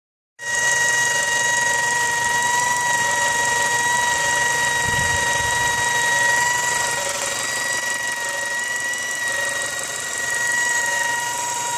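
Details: 2004 Mazda 6 petrol engine at idle with a steady, high, constant-pitch whine sitting clearly above the smooth idle; source of the whine undetermined.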